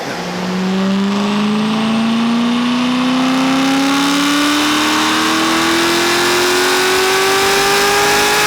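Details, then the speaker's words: Corvette ZR1 at full-throttle pull: engine climbs hard in pitch, but through the RPM band the note sounds wavy and struggling rather than one clean pull; uneven power delivery, cause unknown. "like through the RPM band it sounds like it's like like struggle on a little bit like it sounds like wavy instead of just like one clean pull"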